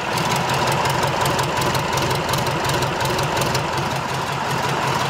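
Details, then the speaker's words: Rebuilt Tatra 148 diesel at idle after its first start in three years, with a temporary oil pressure gauge showing pressure rising; an even, regular throbbing beat with clear thumps and no knocks or misses; runs healthy. "So it looks like everything is good."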